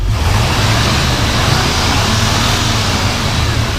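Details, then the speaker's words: 1985 Chevrolet K5 Blazer Silverado V8 with 96K miles, running and revving: a deep, even rumble that holds steady with no misses, knocks or rattles. Runs really smooth, a healthy engine. "Go ahead and fire it up. Runs really, really smooth. Go ahead and rev it up."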